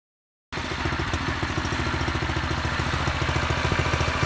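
Small single-cylinder engine chugging at a steady idle with even firing pulses and no misses; runs fine after restart.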